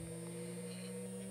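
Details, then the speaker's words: DIY linear motor, drive turned up from rest: steady low electrical buzz with a thin high whine on top, typical of coil windings vibrating under drive. "i'm going to hit run on this and i'm going to turn this a little knob here we're going to start getting rpms you can probably hear it start to buzz now"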